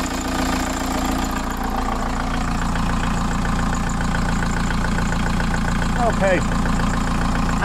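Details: VW T3 van with TDI swap, about 1000 km after swap, just after oil and filter change, pre-cranked for oil pressure: steady even diesel clatter at idle with smooth low throb, no knocks or misses; normal diesel idle.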